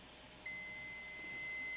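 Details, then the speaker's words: SK Hynix BC511 SSD, depowered, multimeter in diode mode on board near a diode: one steady unbroken beep, a short to ground; suspected bad diode. "yo we have a short in here we have a short in here so what can it be guys it definitely could be a bad um um diode obviously if this is ringing right now"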